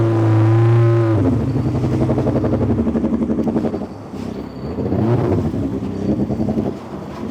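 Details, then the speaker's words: Yamaha GP1800R SVHO 1.8-litre four-cylinder compound turbo and supercharged jet ski on FuelTech FT600: revs then settles into uneven, lumpy running, like one cylinder cutting out; plugs were fine, injector suspected, unconfirmed. "Ó, não tá liso não. Não tá liso. E as velas estavam certinha. Ou tá com injeitor menos ali."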